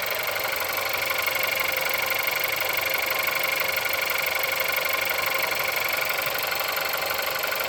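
A steady, even tapping of about four per second rides over a harsh cold idle, so there's a knock somewhere in the engine.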